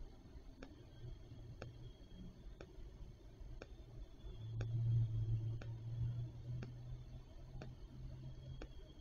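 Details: Amcrest 841v3 making sharp, light ticks exactly once a second in time with the clock's seconds, sometimes skipping, over a quiet low hum, in dry, non-humid weather with no rain; cause unknown.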